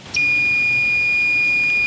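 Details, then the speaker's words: Continuity meter gives a steady unbroken beep across the two hot leads of a newly installed deep well pump's damaged cable, confirming a short that was tripping the breaker. "I'm assuming you can hear that two Hots I have uh come into contact with one another"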